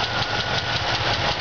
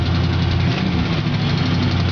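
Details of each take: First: 1977 Oldsmobile Cutlass Supreme, original 350 V8: shaky idle with quick regular light tapping that follows engine speed; a lifter needs replacing, left exhaust manifold seal leaking; engine could use rebuild. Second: 1977 Oldsmobile Cutlass Supreme Brougham, original 350 V8, high mileage, much new engine work: deep steady rumble with an even beat, no stumbles or knocks; healthy idle with good compression.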